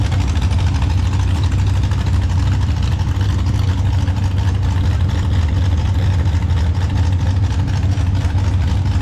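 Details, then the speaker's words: Mini rod pulling tractor at a blacktop pull, unresolved misfire all season: loud, deep engine roar with uneven, stumbling beat — missing, cause not found. "we just can't get it to run this year. And, that's very frustrating when you're chasing a miss."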